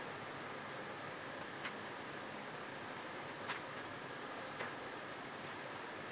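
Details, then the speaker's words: HP LaserJet M402 printer with faint sharp gear ticks every second or two over a soft hiss; a small spring had come out so the gears caught on each other, and refitting it stopped the noise. Gear clicking. "ये तो सिर्फ उसे एक छोटे स्प्रिंग के निकलने की वजह से इसके ये आवाज़ दे रहा था और उसके गियर आपस में फंस रहे, टिक टिक टिक टिक जो है आवाज़ दे रहा था।"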